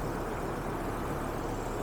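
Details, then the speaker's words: 2007 Hummer H3, 3.7L, 150,000 miles, idling after re-priming the fuel pump: quiet, steady low hum, no ticking or knocking, no check engine lights or misfires; oil needs changing but shows no milkshake. "no check engine lights and no misfires just was out of gas and had to prime the pump again not hearing any noises"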